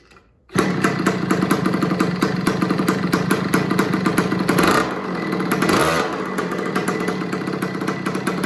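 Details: Small Italian-made 50cc two-stroke mini MX dirtbike, bought cheap and revived with a spark plug, catches at once and, with idle turned down, settles into a quick, crisp, even buzz with no misses; normal running.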